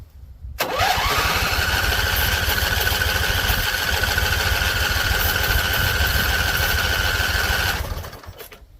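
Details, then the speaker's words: Husqvarna Z254 mower engine, after a PTO clutch install. Steady fast starter churn, about 3.5 beats a second for seven seconds, but it never catches. Owner suspects the engine is flooded again; he tries the fuel on low. "Flooded again. So, fuel on low. That's what I'm thinking, flooded again."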